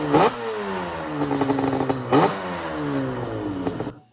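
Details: Yamaha Banshee two-stroke twin quad: sharp throttle blips that climb and fall away cleanly twice, crisp and even with no rattle; healthy engine.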